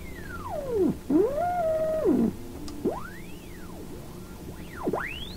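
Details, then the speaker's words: Philips Sonate BA581A vacuum tube radio fed by a signal generator near 893 on the AM band, dial tuned below the band: whistles sweep as the dial moves, and the off-band signal is louder than the intended station; a possible image response, alignment suspected. "so i think that's pretty curious the the offband signal is actually louder so you know if that's an image coming through the radio it's actually more powerful than the actual intended signal"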